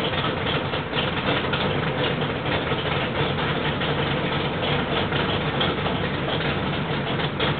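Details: Rebuilt 1968 L88 427 Chevy big-block V8 (from '66 Chevy II), hydraulic roller cam, 9.6:1 aluminum heads, 91-octane pump gas, timing 36°, on start-up: strong even lope, no knocks or ticks; sounds like an old L88, normal idle.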